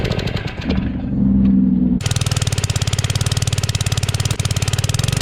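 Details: Generac 01292-2 pressure washer small engine, after carb cleaning: it coughs and sags, then a choppy, uneven putter at three to four beats a second; it runs weak, not at full power, cause unconfirmed.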